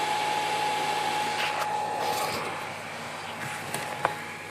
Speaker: Parce que c'est assez bruyant ces bêtes là. Donc 2 alimes de 6 ampères en 12 volts.